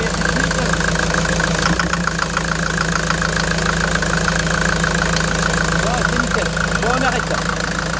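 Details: Mercedes Vito 110 TD diesel after the injection-pump delivery valve holder seals were replaced and the pump was re-primed. Even diesel clatter at a steady idle with no misses, knocks or hunting; smooth, healthy normal idle.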